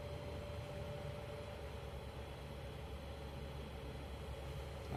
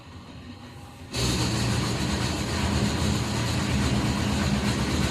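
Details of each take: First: Hot air oven after opening the fan section and refitting/tightening the worn fan that had been making noise; smooth even hum with faint steady tone, no rattle, scrape or knock: fan running normally after repair. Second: Hot air oven with the fan running: loud steady roar with a low hum that starts when the fan switches on and fades when it stops; noise from the fan section, fixed by tightening the loose fan.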